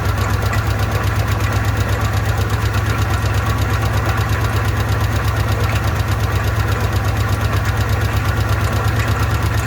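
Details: Old car with a carburetor run on fuel poured into the bowl: low, uneven thumping with a rough, shaky idle; owner says the bowl isn't taking fuel and the fuel pump isn't pumping, cause unconfirmed.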